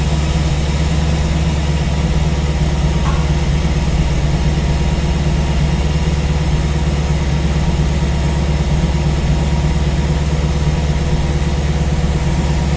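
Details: Small-block V8 idling on a newly installed Ace's Killshot EFI throttle body with Blackjack distributor, while base timing is set to 15°; deep, even rumble with no misses, knocks or hunting, smooth and healthy.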